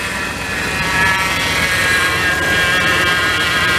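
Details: 1997 Dodge Ram 1500 former plow truck, not run for about two weeks, started while priming power steering: steady even engine note with no knocks or misses, some wind hiss; normal running.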